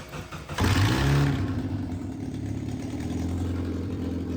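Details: Miata engine after lathe-repaired pulley: cranks, catches cleanly and settles into a steady, even idle with no knocks or whine; normal start and idle before the session.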